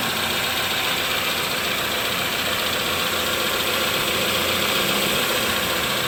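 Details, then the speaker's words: 2011-2015 Chevy Cruze 1.8L after timing cover, gasket and water pump replacement for oil in coolant, burning off spilled oil: steady even idle, light fast ticking over smooth hum, no misses or knocks; normal. "That sounds good."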